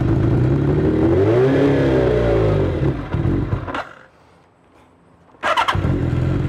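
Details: 1983 Kawasaki GPZ-550 garage find, carbs rebuilt with new float needle and seat, on choke: four-cylinder blips and drops back with even firing, no misses or knocks; running nicely after repair.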